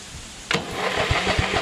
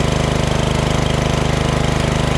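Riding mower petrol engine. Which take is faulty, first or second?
first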